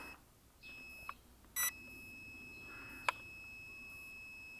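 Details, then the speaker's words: Lightweight carbon-frame quadcopter (JJ1000 board) with a 1.7 g magnetic active buzzer: a thin, high-pitched steady beep. This is the lost-model locator that sounds after the quad loses connection and falls. "In the case you lost connection, it will fall down and will beeping."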